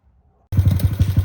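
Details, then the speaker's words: 2025 Honda Grom after a clutch rebuild and reinstall, geared down to a 13-tooth front sprocket: engine fires and settles into an even, steady thump about nine beats a second; running normally, a small backfire noted. "but she's down to a 13 sprocket with a 23 motor and everything's just running as it should"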